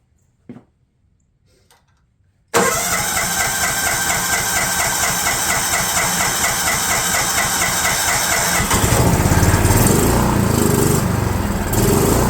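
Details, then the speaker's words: DR all-terrain mower, Kawasaki FV420V engine after years sitting: after spraying carb jets with brake cleaner without removing carburetor, cranks, catches, settles to an even chug and revs up cleanly; runs better. "that is better well I think that's good"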